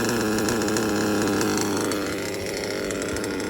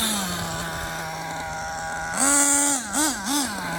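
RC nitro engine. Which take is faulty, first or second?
first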